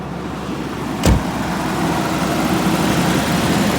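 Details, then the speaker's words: 1989 Jaguar XJ6 Vanden Plas first run in years on a new battery: soft, uneven idle with a thump near the start and no steady rhythm; rough idle after years of sitting, cause not identified. "Okay, Still got a weird idle."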